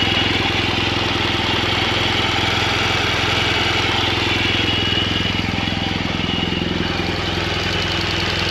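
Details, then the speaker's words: Boxer twin, a second healthy bike for comparison with one having cam and rocker arm failure: steady idle with a light, even ticking about three or four per second; normal valve train head noise. "so lee's got i think what we would consider normal head noise on his so he's going to get grab his keys and start his up and you guys can compare the noises here"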